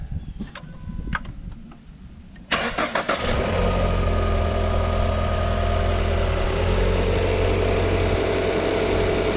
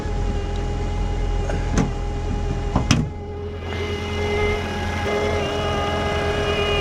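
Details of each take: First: 2014 Ford Fusion 1.5L, after installing a new alternator: cranks briefly, catches cleanly and settles into a steady, even idle with no abnormal alternator noise; previous alternator fault had drained the battery. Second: 2014 Ford Fusion 1.5L at idle with hood open; steady high singing whine holds pitch over the idle; alternator not charging, battery drained, alternator replaced afterward.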